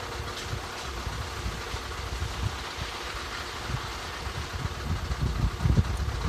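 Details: 2013 Skoda 1.6 105 hp engine at idle: low, uneven thumps about twice per second, growing louder toward the end; an abnormal knocking noise, cause unclear.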